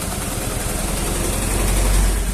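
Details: Honda Vario carbureted scooter, carburetor already repaired, spark plug cap replaced: uneven, stumbling note at low revs, power held back on gentle throttle, never smooths out; misfire from faulty CDI unit.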